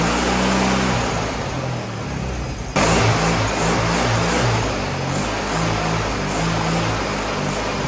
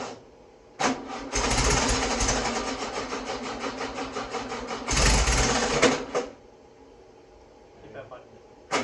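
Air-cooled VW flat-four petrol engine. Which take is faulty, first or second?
second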